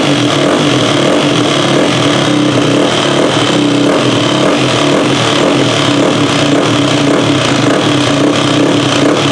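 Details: Yamaha WR426F single-cylinder dirt bike at its fire-up after final assembly, on the stand; it previously wouldn't go when ridden. Loud, steady drone holding an even speed; the engine fires and keeps running.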